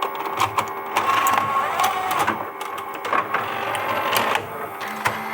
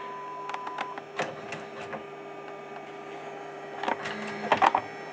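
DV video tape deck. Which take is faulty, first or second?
second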